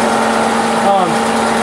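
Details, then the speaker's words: Powermatic Model 100 12-inch planer, serviced by a friend: pulling the lever engages the feed clutch and spins the feed gears, and disengaging stops them. A steady, even hum with smooth gear whir, no knocks or grinding; it works flawlessly. "when you pull it out this way, it engages a clutch, and it'll start spinning these gears. Disengage it, and it'll stop, and it works flawlessly."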